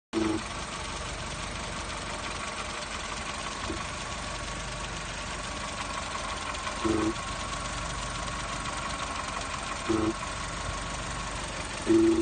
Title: vw polo 6n2 1.0 mp buzzing/ humming sound